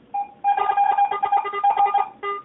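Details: Garrett AT-Pro metal detector air test, zinc penny at one inch from the coil. Repeated mid-pitched warbling tone bursts as the penny passes the coil, consistent and clean: a normal coin response.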